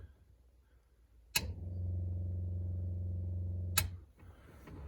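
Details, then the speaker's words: 1938 Chrysler with a newly installed auxiliary 6V positive-ground electric fuel pump, switched on with the key on: a steady low buzz with quick, even ticking about four per second. Normal fuel pump operation. "We're watching the ammeter right here. I'll hit the switch. You can hear the pump working."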